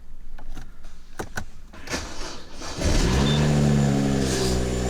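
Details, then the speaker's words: BMW E93 335i, N55 engine, after replacing spark plugs and ignition coils for misfires on three cylinders: a few clicks, then the engine catches cleanly and settles into a smooth, even idle with no stumble or miss; the misfire is gone. "oh yeah works fine it looks like it's working"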